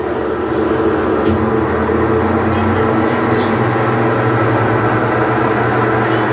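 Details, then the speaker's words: Mabe Aqua washing machine that won't wash, steady loud low rumble with rough grinding edge as the transmission turns, from damaged bearings. "El ruido que hacen los valeros que ya están dañados."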